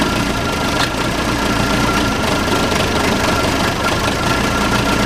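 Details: Case 580C backhoe diesel, sat 10 years, started with ether and no coolant: steady, even diesel clatter, no misses or stray knocks; idling cleanly, sounds pretty good, normal idle.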